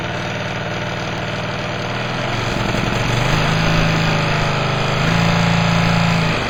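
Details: Old Craftsman lawn tractor in neutral at low throttle: idle with a regular knock about four times a second riding the engine beat; something internal knocking on one side, cause unclear, owner suspects valves or valve clearance.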